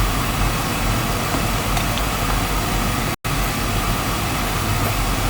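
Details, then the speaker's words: Oil burner after running out of oil, new control with 45-second lockout to aid bleeding: steady low roar with a brief dropout partway through; air in the oil supply line making the flame unstable. "see if it's yeah it's got air in it there a 45 second lock out too so it's longer than the other one"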